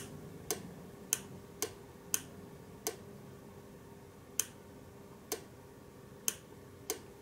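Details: Relay with cover removed, its coil pulling the contact to switch between red and blue LED circuits: crisp single clicks, about nine in seven seconds, each clean and sharp; contacts switching normally.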